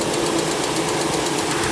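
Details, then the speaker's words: 1995 (BE 2538) Ford Aspire 5-door automatic running on LPG only (the petrol system is not working), at idle with engine and gear temperatures normal. Light, sharp ticking about eight per second. The only noise is valve tick from excessive valve clearance. "ความร้อนปกตินะครับความร้อนเกียร์ปกติมีเสียงวาล์วห่างอย่างเดียวนะครับ"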